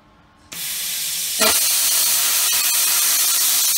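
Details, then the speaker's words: Plasma cutting a bracket for a chassis rotisserie frame after turning up the current/voltage, since the earlier cut did not go fully through: the arc strikes, then a steady, strong hiss holds smoothly for several seconds; a clean, even plasma cut. "So now I've turned the current up slightly, or turned the voltage up, should I say. So you should see now how much better it cuts."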